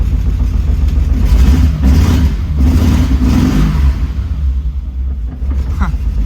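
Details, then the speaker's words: BMW E30 interference engine first start after timing belt, water pump and thermostat replacement, crank spun a few times first; catches quickly, revs, then settles to a steady low idle without knocks, timing right, running healthy. "But I did spin the crank a few times and it did turn over. So, here we go. There we go. It's running."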